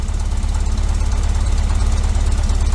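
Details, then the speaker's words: 1973 VW Super Beetle, 1745cc flat-four on dual Dellorto FRD 34B carbs with balance tube: after a final hiccup on the left carb, a fast even putter settled into a stable but far too high idle. "finally gave me one final one final dude hiccup on the Left carb and it is now settled down into what is a pretty stable but way too high idle"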